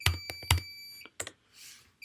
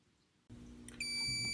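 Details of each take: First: Fire-Lite/Notifier fire alarm control panel in manual evacuation triggered via PS-Tools, one horn circuit disconnected: a steady high-pitched internal panel beeper under keyboard clicks. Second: Fire-Lite MS-9200UDLS addressable fire alarm panel resetting after PS-Tools programming: a soft clunk, then a steady, unbroken high-pitched beep, the panel's normal restart tone.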